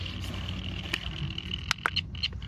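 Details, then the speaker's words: Flipper Zero at 315 MHz in record mode testing a TPMS sensor installed on the car, triggered with a learning tool: short sharp chirps in bursts about a quarter second apart over receiver hiss and whine, so the sensor is transmitting and good. "and I hear so that's a good sensor"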